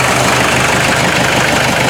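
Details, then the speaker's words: 1986 Ford Escort diesel after fuel system repairs (filters, sludged water separator replaced) fixing stalling and no-start; steady, even clatter at a settled idle with no misses or surging: normal idle. "why I'm really happy and excited that it's running again"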